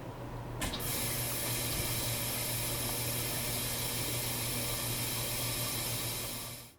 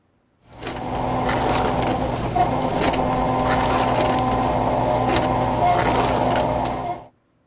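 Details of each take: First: At the start of each cycle, it's normal to hear the valve open with water rushing out. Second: Dishwasher circulation (wash) pump during a wash cycle: steady motor hum with rough, gritty grinding, suggesting worn motor bearings; cause suspected, not confirmed.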